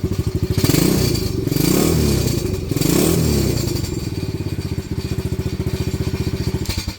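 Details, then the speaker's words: Venom Madix 125 quad after PZ20 carb air-fuel screw adjustment: single fires right up, idles steadily, revs cleanly on two throttle blips and drops back smoothly, running properly. "Haley should be happy that her quad fires right up."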